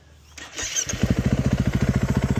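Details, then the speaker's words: 2013 KTM 350 EXC-F single, restarted warm after a test ride: quick catch after a brief crank, then crisp even thump around eleven beats a second; normal start and idle. "To me, that starts up pretty good. Sounds pretty good. Can't really complain."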